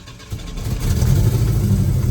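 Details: Engine running while bleeding power steering with the fluid full (non-ATF fluid): a deep, rough moaning drone under steering load; the pump groans because spinning churns bubbles into the fluid, so don't run the engine when bleeding.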